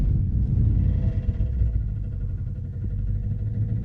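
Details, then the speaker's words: Dodge Dakota mud truck, idling: deep rumble with irregular low thumping from inside the engine, suspected rod knock, not confirmed. "I don't know what's going on with that engine but it's definitely knocking"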